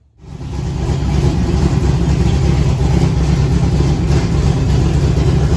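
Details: 408 V8 Foxbody on first start with a Terminator X wizard tune, Ford Lightning 42 lb injectors and a Ford PWM IAC. Catches and settles into a deep, even, lumpy idle around 1000 rpm. Normal idle.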